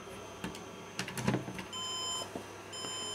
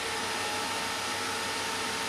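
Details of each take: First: HP desktop motherboard powered on without CPU: after handling clicks, short high even beeps (three) as POST code for missing processor; board itself faulty, CPU overheating. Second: HP desktop computer that would not boot, on the bench after cleaning boards and RAM and reseating the CPU with paste: even, steady airy hiss with no ticking or rattle; CPU fan spinning smoothly.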